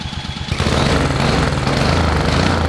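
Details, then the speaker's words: 5 hp Honda overhead cam single-cylinder engine on an old Murray two-seater kid's go kart, sat for years, start attempt with original uncleaned carburetor: short choppy crank, then catches and settles into steady low thump, no misfires; it runs. "hey it runs dude i saw the fear of god in your eyes"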